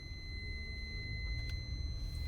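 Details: Honda Odyssey driven at night, headlights on, in drive: steady high-pitched warning tone from the rear that starts when the brake is released and stops when it is pressed, also while reversing; cause not found.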